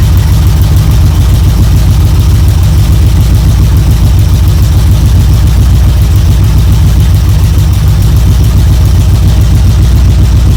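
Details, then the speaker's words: 1972 Chevrolet C10 V8 idling evenly after a choke start on a battery charger in about 40° drizzle; it briefly flooded, then ran with good oil pressure, deep steady burble, no knocks or misses, warming up: normal idle. "well there we go we got good oil pressure it's running figured it would take off it just kind of flooded for a second there"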